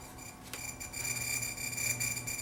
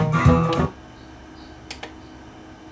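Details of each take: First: NAD T-762 receiver, intermittent sound cutting out when warm on CD input: audio drops leaving thin scratchy hiss with steady high whistles. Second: NAD T-762 receiver after repair for sound cutting out when warm: clean, steady music with guitar and bass, no dropouts or crackle; working normally.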